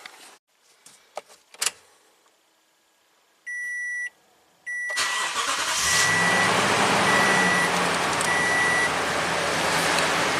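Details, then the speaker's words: 2015 Toyota Tundra V8 that squealed despite three belts and a new tensioner, started after the drive belt was rerouted correctly: chimes, then it cranks and settles into an even idle with no chirp or squeal. Fixed. "a single chirp there this truck's fixed no parts acquired in 5 minutes"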